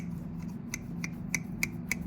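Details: Previously squeaky garden pruners after oiling the pivot with coconut oil: crisp, even snips about three a second, no squeal.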